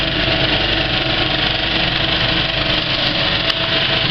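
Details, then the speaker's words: Kinoton FP30D cinema projector with Speco LP270 platter, running the end credits while well threaded: fast, even mechanical chatter with a soft clack and no harsh slapping. A bad wiggle loop would sound harsh; normal running. "when it's threaded up really well it's got a really nice soft kind of clack"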